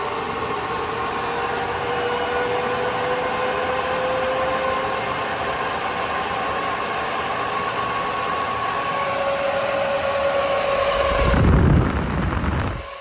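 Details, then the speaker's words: AC Infinity garage vent fan set to Jet mode: steady rushing airflow with an even hum around 550 Hz, no ticking or rubbing; normal running at maximum speed. "I know you can't see that but it's blowing quite a bit of air let's set it to Jet mode"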